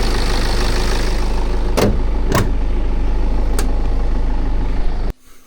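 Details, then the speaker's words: BMW F10 518d with the B47 diesel after turbo replacement: a steady, even diesel clatter at idle with no hiss or whistle. No boost or oil leaks; the engine runs normally. "So yeah, I'll start it up and show you. There we go. The engine sounds normal."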